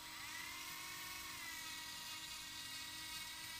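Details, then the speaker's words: Arrma 4S BLX brushless RC motor after bearing replacement with Tekno 5x13x4 bearings: even, high-pitched whine holds steady with no rumble or scraping; sounds better than before, when it got very hot fast. Normal running. "h yeah that sounds better yeah right off the bat it sounds different than last time so this is a good thing"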